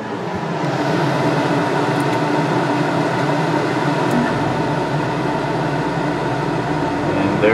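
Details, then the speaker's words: Coleman Mach 8 roof A/C on a Lance 825 truck camper after the digital thermostat upgrade: steady fan rush, then a deeper hum joins as the thermostat, set below room temperature, switches the compressor on and it holds evenly; running normally. "the thermostat down below this temperature it is now been flip on the compressor"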